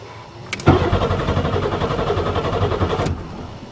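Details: Buick Regal after winter storage, cranking on a second battery: steady rapid starter churn for about two and a half seconds but the engine never catches, crank-no-start.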